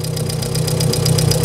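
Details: VW Polo 1.6 EA111, at start-up, microphone by engine: steady even idle with quick light ticking about seven taps a second; hydraulic lifter tapping, exhaust manifold also suspected leaking.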